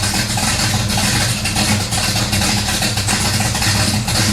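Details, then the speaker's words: 1970 Pontiac LeMans, slightly warmed-over 455 V8 with about 1,000 miles on its oil, cold idle showing 60 psi oil pressure. Steady, even idle with a low, lumpy rumble and no knocks or ticks. Healthy engine. "well fresh gates right here 60 psi when cold good all right we're good god i love how that car sounds"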